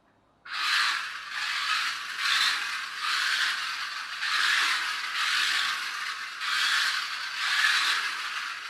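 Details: Car with a 3D-printed replacement gear, running on the floor, noisiest in reverse: harsh high rasping chatter swelling and fading about once a second with wheel spin beneath; wobbly gear meshing badly.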